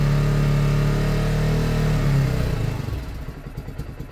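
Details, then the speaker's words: Lexmoto Michigan 125cc single-cylinder motorcycle after an ignition fix, with a carb that is not new or clean: steady, even low thump, then revs fall away smoothly with no misses. Normal running. "It doesn't go off, but I don't like that. That is a smooth bike, and that's with a carb that's not new or clean."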